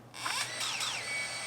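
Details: DJI Mavic Mini drone with Power System Error 30210, after all four BLDC driver ICs on the ESC board were reflowed, indoor takeoff: motors whir up together to a steady high hum with clean, even spin-up and no grinding; the repair worked.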